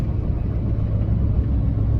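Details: LBZ Duramax, about 10,000 lb truck plus roughly 15,000 lb trailer and gravel, off throttle, exhaust brake newly activated via ECM pins and toggle switch (no tune): deep steady low rumble holding the load without service brakes; operating normally.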